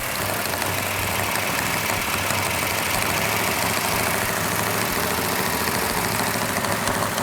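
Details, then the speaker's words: Plymouth 'Cuda 440 Six Barrel with a new Comp Cams Mutha Thumper cam, on initial startup held at high rpm for cam break-in: a fast, steady idle with even valvetrain chatter, normal for a new engine. "got a little bit noisy valve train which is normal on a new engine we're going to hold the rpm up so the can can break in"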